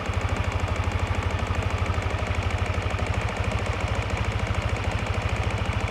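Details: Yamaha NMAX v1 scooter at idle: steady even tapping knock at every engine turn; cracked magneto rotor (split in three places), not the crankshaft; fixed by replacing the magneto.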